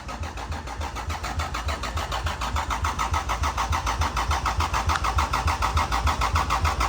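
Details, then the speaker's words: Lexus IS300 with a newly fitted engine, steady even cranking from the key for about seven seconds with no fire; the owner suspects the EWS immobilizer is blocking the start. "Hey, this is awesome sauce. It's cranks from the key. It's got a motor in it."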